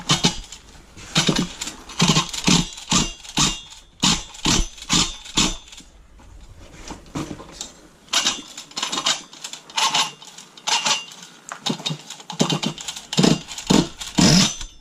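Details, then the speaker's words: Red Cat Racing Monsoon XTR truggy with .28 nitro engine, new glow plug fitted after it died bashing: engine barks in short revving bursts with dry scraping rattle between them; a clutch shoe is hanging up in the clutch bell. "That's what it is. It's my clutch shoe. I got a clutch shoe hanging up in it."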